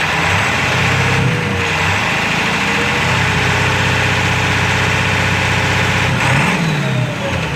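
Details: 7.3 diesel rough runner with no power, switched from high idle to street mode: dull knock over clatter with speed surging and sagging, owner says sounds like rod knocking; raw-diesel puffing smoke, EGTs good, cause unknown.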